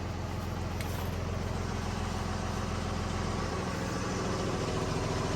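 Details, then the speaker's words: Freightliner M2 with new suspension control valves, diesel at steady idle: low rumble and soft airy hiss as the air tanks keep filling toward 125 psi, no bleeding or leak racket, so the air system is filling normally. "I hear the I hear the a tank filling up. So, by now, this would have been bleeding, making a racket. So, I think we're good."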